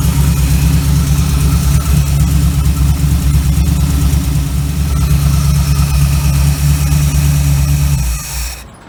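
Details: 1936 Chevy coupe small-block 350 V8 after a Holley 1850-2 carburetor rebuild: deep, steady idle with an even, regular lope for eight seconds, then shut off; no misses or knocks, runs smoothly.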